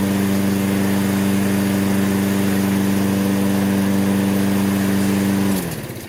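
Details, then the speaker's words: Toro self-propelled mower, Briggs & Stratton 6.75 (believed) with auto choke, which would not restart when hot, after a basic tune-up and fresh gas, warming up: a smooth constant hum with no surging, then a clean wind-down at shutoff; normal running. "let's give it a yank first pull it's cranking up first pull see what it does as the engine heats up"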